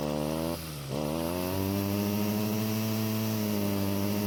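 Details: Stihl two-stroke string trimmer with a clogged exhaust, before clearing: buzzy engine dips then holds a flat, modest pitch that won't climb, with poor throttle response and low engine speed; low power from the blocked exhaust outlet.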